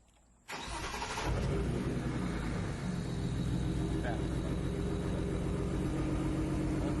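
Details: BMW 335i after installing Precision RaceWorks ignition coils and a JB4 flash: cranks, fires and settles into a lumpy, uneven idle, a misfire caused by swapped cylinder 1 and 2 coil connections.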